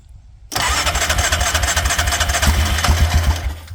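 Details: Yamaha Grizzly 600 ATV just fitted with a new aftermarket Chinese carburetor, throttle cable not connected and carb dripping fuel: brief crank, then catches into a rough, uneven low thumping idle of about 200 beats a minute; carb not tuned right.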